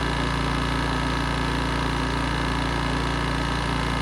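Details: 1980s Honda EX650 flathead generator after choke cable fix, started on first pull, unloaded: steady, even drone with a fast, regular beat and no misses or knocks; normal idle.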